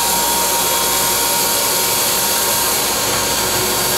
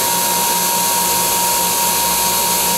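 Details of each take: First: Dental wet ring vacuum pump (DentalEZ Dual MC201) running with water flow on: even, steady rushing whirr with constant motor tone, no knocks or surging; reads 8 inches of mercury, within the 8–12 inHg acceptable range; healthy. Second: Dental wet ring vacuum pump (DentalEZ Dual MC201) run without seal water, clear tubing on exhaust: harsh, hissy roar with a fixed high whistle and faint pulsing; runs very hot, noticeable drop in inches of mercury.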